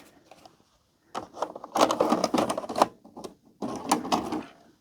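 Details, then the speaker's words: Panasonic NV-HD600 MK2A VCR, after mode switch cleaning: clattering as the cassette loads and goes down, no motor spin-up, then more clatter as it ejects, same as before; a faulty sensor switch is suspected. "The tape will go in and go down and then the motor doesn't spin up or anything and it kicks it out again, which is what it was doing at the start."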